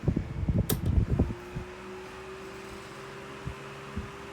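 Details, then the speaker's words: 1981 Dayton (Lasko/Glasgow) 16-inch oscillating desk fan, model 4C508B, switched to high: a few switch clunks, then a smooth steady hum with no bearing knock or rattle. Runs clean, owner's daily runner. "it's running and it doesn't have any wasco bearing knock like i mentioned in other lasko videos so it's it's pretty decent solid absolutely solid it's a great runner"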